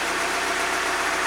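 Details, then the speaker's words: NB2 Mazda MX-5 Miata idling after a DeatschWerks DW200 fuel pump and OEM fuel sender unit were installed: even, steady idle with no misses, knocks or surging; the car runs fine. "So as you can see, the car runs fine."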